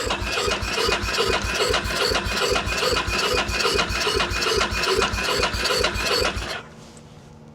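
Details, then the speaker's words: 2001 Ducati Monster 900 that sat for a long time, cranking after battery charging: even beat about two and a half pulses a second with no crunching or clanking, then stops; healthy turnover. "It's not bad. Turns over. There's no uh crunch crunch failures would be to drop a valve. So, it wouldn't turn over that easy if there was a valve clanking around in there."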